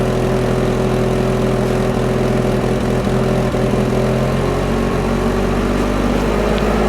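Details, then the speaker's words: Mazda RX7 FC3S Turbo II rotary, sat almost 10 years, first start after fuel system rework, running on leftover rail pressure with oil-primed rotor housings smoking; steady, even idle with a smooth low drone, no knocks or misses; healthy. "Well, she's just running on the leftover fuel pressure that was in the rail. But man, she sounds good."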